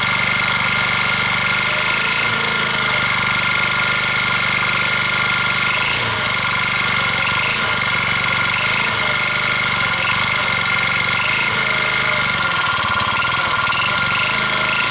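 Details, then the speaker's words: Old motor scooter of uncertain make (Kinroad?), electric-start battery dead, runs well: metallic clatter and light knocking over a fast steady idle; owner suspects rod or spun bearing, not confirmed. "no matter what it is it sounds like it's been here I'm not sure what it is and where it is but something's rattling so they run runs well so something up in here is rattling and banging and I'm not quite sure"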